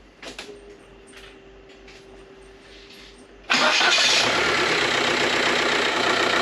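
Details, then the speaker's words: Jeep TJ Wrangler with BEW TDI diesel swap, fluids checked before start (oil full, coolant, power steering checked), thought locked up but never was: quiet, then diesel catches abruptly and settles into a steady, even idle with no misses; normal start and idle. "hole yes I cannot begin to tell you how good that feels I'm done for the evening it is super late it runs"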